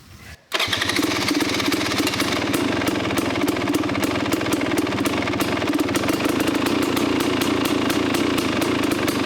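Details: KTM 250 XCW two-stroke after fitting an FMF exhaust pipe listed for a 2018 XC: kicks over and settles into a crisp, even crackle with sharp regular firing and clean blips. Runs healthy, maybe as loud or slightly louder than before.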